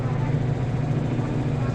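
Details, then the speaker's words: Whirlpool LSP1080GP automatic washer, after repair of noise in dryer/spin mode, wash also checked: steady low hum, no knocking, scraping or grinding; normal sound. "Ay washing. Yan normal sound effect na."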